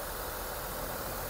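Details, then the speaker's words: Mitsubishi Lancer GSR 4G92 engine, rebuilt last week, with a new bypass tube, restarted to check for O-ring leaks; quiet, even idle with a smooth steady hum, no knocks or ticks: normal idle. "Makakalik start yung makina ni Bossing. Tahimik na yung andar."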